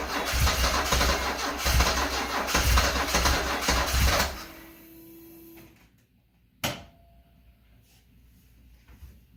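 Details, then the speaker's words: 1974 Alfa Romeo Spider Veloce, 10K original miles, stored 30 years, start attempt after fuel pump priming: starter cranks at a fairly even beat for about four seconds, engine never catches, then stops; crank-no-start. "Let me give it another shot. Okay, attempt number 5 or 6. 5th time's the charm."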